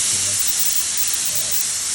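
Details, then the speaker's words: Pressure canner of chili after processing, pressure falling to about seven pounds and still actively venting: steady high even hiss of escaping steam, no sputter or pulsing; normal steam venting as it depressurizes. "all right so just in that time we've been talking pressure came down to about seven pounds is still actively going out"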